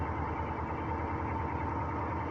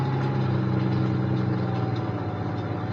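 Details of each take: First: Northstar V8 idles roughly with an uneven, stumbling low thump, a hard misfire. The owner also hears ticking and suspects a possible rod knock. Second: Semi truck: smooth, even, low idle hum with a steady tone and no knocks, misses or rattles; engine runs healthy.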